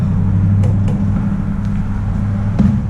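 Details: 1999 car that ran out of fuel, fuel pump heard priming after refuelling: engine catches and settles into a steady low rumble with no misfire or stumble; runs normally once fuelled.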